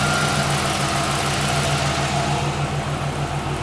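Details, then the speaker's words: Warm car idling in a shop after mass airflow sensor work. A scan shows no codes and about three grams per second of airflow at low idle, which is good. Steady, even idle with a smooth pulse and no knocks or misses. "there's three grams per second low idle which is good"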